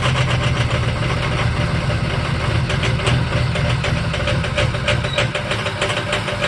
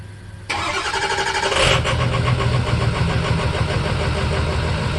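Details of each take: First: 2005 Ford F-350 6.0 Power Stroke diesel, cold start at about 35°F (down to 31°F overnight), before adding Archoil AR9100; loud, rough, lumpy idle with an uneven clatter about three times a second. Owner suspects failing injectors/stiction; batteries and voltage already checked fine. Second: 2005 Ford F-350 6.0 Power Stroke diesel, cold start (overnight about 30s) the morning after adding Archoil AR9100 for suspected failing injectors and rough cold starts; brief crank, catches within a second, settles to an even diesel idle clatter with no stumble, a clean start.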